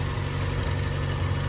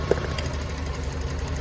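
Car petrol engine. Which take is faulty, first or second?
second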